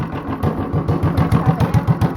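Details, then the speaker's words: Honda clone single with 10 lb cast-iron flywheel and cam spring removed for full compression, under a stout load at about 500 rpm; slow, even, firm low thumps around seven a second, running strongly; normal low-speed running. "Oh yeah, that's torque, baby. This thing's pretty awesome. All we had to do is put a 10-pound flywheel on it and mess with the cam a little bit."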